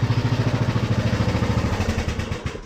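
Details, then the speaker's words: Engine just reassembled after a part was refitted (first installed upside down, then corrected), no leaks seen: even, low chugging beat of about ten pulses a second that winds down smoothly; normal running. "So as you might be able to tell, I got it all back together. She runs as far as the know she don't leak."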